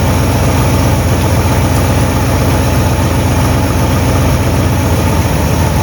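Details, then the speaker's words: 1958 Buick Super engine idling on first start, untuned with unknown timing; loud, rough low idle with constant puffing chuff about four beats a second from several exhaust leaks in a trashed exhaust system. "i've got a bunch of exhaust leaks but this exhaust system is kind of trashed"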